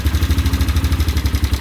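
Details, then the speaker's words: 2003 Polaris Sportsman 500 HO ATV after Bendix replacement: steady even single-cylinder thump at idle with a little throttle, no clatter or misses; running normally. "starter gaug is just fine running just fine got to give it a little throttle here but um that's what it should be like"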